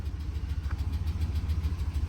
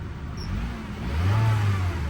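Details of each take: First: GMC Sierra 2500 with 454 V8, salvage-auction truck just started, low fuel, service engine soon light on, good oil pressure; rough uneven idle with a quick light tick about three a second, cause not pinned down. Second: Engine sounds great. Sounds like a healthy Honda.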